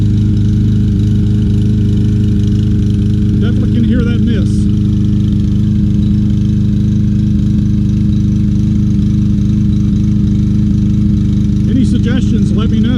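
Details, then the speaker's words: Troy-Bilt TB200 self-propelled lawn mower, single-cylinder, after carburetor cleaning, fresh gas, new spark plug and flywheel key: uneven beat with occasional skipped firing pulses; slight miss persists, cause unknown. "this is not running right [Music] [Music] it's kind of a slight miss"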